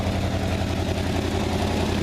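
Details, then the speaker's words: 1955 GMC 350-Series dairy truck, rescued classic: loud, raw low rumble with steady even beat, no knocks or misses; healthy old engine running without muffler. "sounds pretty good needs some Muffler definitely needs a seat"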